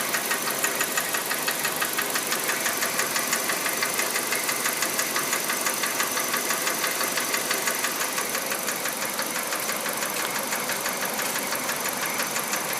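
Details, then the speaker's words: Kia Rio JB, G4EE 1.4 97 hp, automatic, Mobil 3000 oil, at idle: sharp regular light ticking about twice per second; owner first thought injectors, suspects hydraulic lifter, cause unconfirmed. "Вот это звук, значит. Что это за звук? Слышно, как форсунки работают. Не форсунки, это, извиняюсь, гидроконденсатор или что там. Вот этот звук, короче, напрягает."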